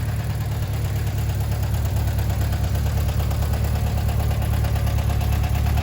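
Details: 1978 VW Bus 2.0L, rebuilt and resealed, converted from fuel injection to carburetor with a new carb kit, on first start with choke on: a deep, steady, even idle with no stumbles or knocks. Valves checked, timing set, compression 135-148.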